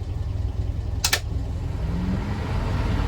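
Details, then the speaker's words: 1970 Land Rover Series 2A 88in petrol, 47,000 miles, unleaded conversion, new clutch in 2020, idling warm at traffic lights: steady, even low rumble, not clattery, no ticking; normal warm idle. "we've got hit some some traffic lights because there's some road works but islands nicely as you can hear not clattery or anything"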